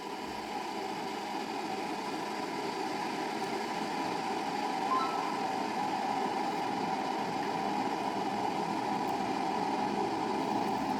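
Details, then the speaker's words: Electric kettle after disassembly and reassembly, indicator bulb on: steady rushing hiss with soft bubbling as water boils, no rattles or buzzing; working normally. "Here the bulb starts glowing, it means it has started. We can hear the voice of water boiling."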